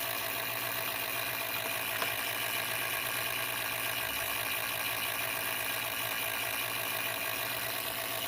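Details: MSI PE60 6QE gaming laptop: steady airy hiss with faint constant tone, no rhythm or grinding; cooling fan annoyingly loud, unrepaired.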